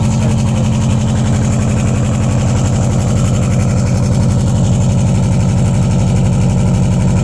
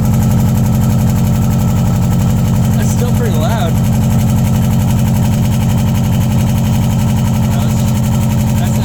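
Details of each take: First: 2002 Subaru Impreza WRX with DNA Motoring turbo-back exhaust, silencer installed: deep, loud, steady burble at idle, about three pulses a second, even and smooth; still pretty loud, healthy engine. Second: 2002 Subaru Impreza WRX with newly installed DNA Motoring turbo-back exhaust, silencer in, cold start: loud deep lumpy boxer idle with a faint metallic buzz, an exhaust rattle.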